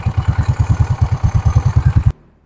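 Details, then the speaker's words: Yamaha Mio Soul scooter after CVT slider replacement, belt now riding up properly: even chugging pulses about eight a second, no rattle or squeal, then cut off; normal CVT running. "So yan, okay na ho. Umano na ho yung belt. Umangat na po mga kadeway."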